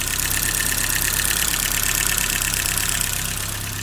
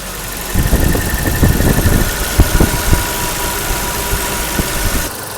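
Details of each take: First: 1984 BMW E30 318i, failed smog: fast even top-end tapping over idle with slight stumble, before valve adjustment and idle control valve cleaning. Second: 1984 BMW E30 318i after valve adjustment and reconnecting a vacuum hose; it had failed smog and may still need a catalytic converter. Even idle at 900 rpm with only light regular valve ticking and no loud clatter.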